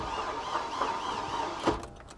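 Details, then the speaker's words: Salvage-auction Hummer H3 being started: starter turns over in labored, evenly spaced pulses about four a second, dragging rather than spinning briskly; cranking is slow, though it runs and is judged to need an engine. "Ooh. That sounds like it's cranking real slow."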